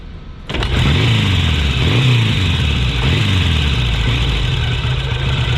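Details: Vintage 1,000 cc, 42 hp motorcycle, which smoked at first start, probably from wet-sumping, but no longer smokes: engine catches and settles into a steady, even beat at about four firings a second, no knocks or misses, healthy idle.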